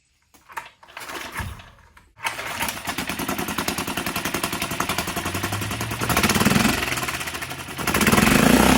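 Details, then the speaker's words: 6.5 hp Hangkai 4-stroke outboard with substitute Yamaha 6 hp carburetor, modified choke and capped fuel outlet, after earlier flooding: catches after a few pulls then chugs about 220 beats a minute with uneven surging; rough running, carb adjustment needed. "sounds like we need to make some adjustments to the carb"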